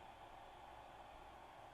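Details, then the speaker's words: Magnavox MDR865H/F7 DVD/HDD recorder that won't play from its hard disk: only a steady soft fan hiss, no disk whir or seek clicks. The hard drive isn't spinning up; a bad drive is suspected. "Okay. Hard disk drive. HDD. I'm not sure I even hear it running."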